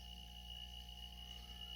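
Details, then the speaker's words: Microjet MID fridge-motor compressor, 110 V, 15-litre tank, just switched on and filling toward 100: very quiet, smooth low hum with a faint steady tone like a household fridge; normal running. "Só para vocês terem ideia do barulho, ó. É o barulho da geladeira da casa de vocês."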